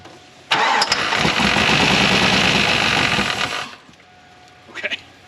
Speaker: All right. Well, it did start, but not without a hitch.